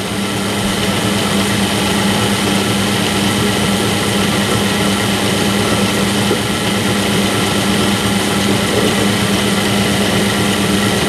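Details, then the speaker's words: Low-cost bench drill running at a steady, even hum with a smooth whir and no knocking or grinding, after modification to oil-lubricate the spindle bearings; oil reaching the bottom bearing, sounding smooth. "and I can actually hear the difference some from the oiling up sound really nice and smooth"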